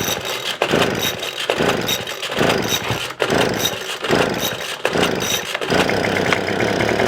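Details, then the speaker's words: Craftsman two-stroke blower, choke on, primed bulb, first start: revs up then sags nearly cutting out about once a second, surging and dying; low-speed mixture screw suspected, needs opening. "we've got I love we need to adjust the low because it is he's dying the right one"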